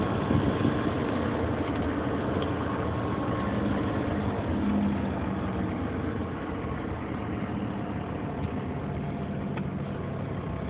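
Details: 2003 Nissan Murano idling with an uneven, rough murmur and faint irregular ticking; odd noise with no clear pattern. Cause not identified. Unusual engine noise.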